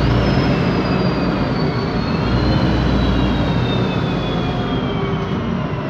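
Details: 2007 MAN Lion's Classic CNG city bus, MAN E2876 LUH03 EEV engine, Voith DIWA 864.3 4-speed automatic; thin high whine from the rear over road rumble, falling in pitch as the bus slows: noisy rear differential, plus Voith transmission sound.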